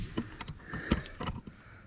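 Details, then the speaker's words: Mercedes E320 front wheel after bearing replacement and repack, about 50 miles driven: sharp uneven clicks as wheel is rocked by hand, slight play as bearings seated under load; to be retightened to remove slop. "i wanted to show you guys that there's actually a little bit of play in it you can hear that clicking"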